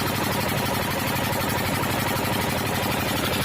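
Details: 12 hp diesel engine after piston ring work: even, rapid knock about four beats a second with clattery top end and no misses; engine running fine.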